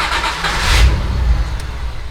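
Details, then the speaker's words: Nissan Z31 300ZX after full fuel system upgrade (1000cc injectors, billet rails, 340LPH E85 pump): brief crank, catches at once, flares then settles into steady idle; clean healthy cold start, new pump very quiet. "Look at that. Oh wow, it even idles better. That new pump is so quiet. Holy crap, it sounds so good."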